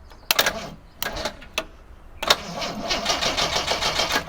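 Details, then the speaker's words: 1987 Jeep YJ 4.2L AMC inline-six, sat 7+ years: jump pack wired straight to starter with solenoid wire removed, sparks then brisk steady cranking; starter good, solenoid or cables suspected. "Starter is good. Maybe we have a bad solenoid or cables or something."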